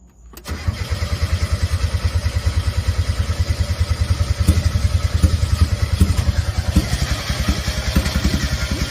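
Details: 1990 Mazda Miata after sitting 7 years, first start on fresh fuel with rebuilt injectors: cranks and catches into a fast, lumpy, wavering idle. No idle air control valve fitted, so idle to be raised. Unstable idle.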